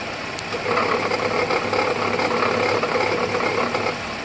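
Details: 2008 GMC Acadia SLT, key restart after auto start squealed then shut off violently: fast uneven metallic rattle over idle, owner suspects failing pulley bearing, unconfirmed; rattle at idle.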